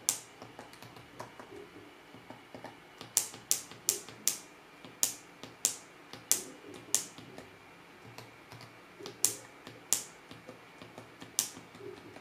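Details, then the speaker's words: MacBook Pro 15-inch 2016 with Touch Bar, too hot to touch between hinge and keyboard under load; certain keys give sharp, crisp, louder-than-normal clicks; abnormal key click noise when hot, cause unconfirmed. "Acela a fost momentul în care anumite taste au început să producă un sunet diferit și chiar deranjant față de cum se aude în mod normal tastatura."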